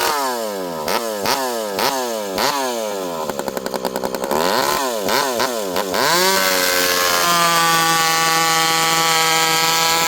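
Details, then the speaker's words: Rebuilt ported 85cc Stihl 064 with new piston, clutch, big transfers and pipe, fitted with a new carb, high jet about 1 turn, cutting slightly frozen American elm: sharp rev bursts then a steady high scream holding pitch without bogging; healthy saw. "Lightweight, huge chain speed. You can lean into it and it doesn't slow down."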